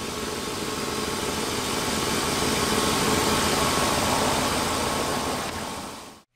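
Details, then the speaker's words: 1996 Lincoln 4.6L V8 after heater hose coolant leak repair, fuel rail tapped: idle rising and falling while relearning, then even and steady with no misses, knocks or ticks before clean shutoff; normal idle. "that aisle going up and down it's just we're learning where the engine's supposed to sit that sounds pretty good"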